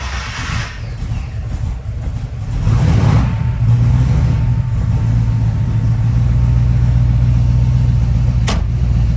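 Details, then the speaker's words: 1971 Ford Bronco custom, 302ci Blueprint V8 with aluminum heads, Holley Sniper EFI, new starter, 41.3 miles since restoration: brief fuel-pump hum, then it fires right up and settles into a smooth, even idle with no misses; normal start. "Fires right up. As you can see, we're all up and running now."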